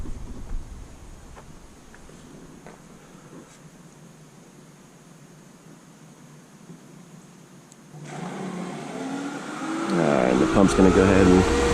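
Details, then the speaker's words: Pool pump restarted after cleaning the Hayward SwimClear 200 cartridge filter with the air relief valve open: near silence, then it spins up as air gurgles and rushes through while it self-primes normally. "This pump will catch prime by itself, so you don't have to worry about it."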